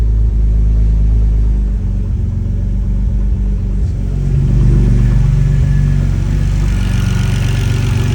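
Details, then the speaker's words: Turbo BMW E46 ZHP with a freshly rebuilt forged M52 on a base map, first start after over a year on jackstands: deep steady rumble with a brief rev blip, no knocks or misses; runs well. "So, needless to say, I was super nervous for the first start, but everything went really smoothly. Runs really good."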